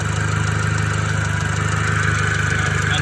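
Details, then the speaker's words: VW MK5 GTI at idle just after oil catch can install, timing recently done; steady idle with uneven pulsing about three times a second, source unclear; owner suspects an injector stuck open or a slipping belt. "If you have any idea what this sound is, I feel like it might be an ejector that's stuck open."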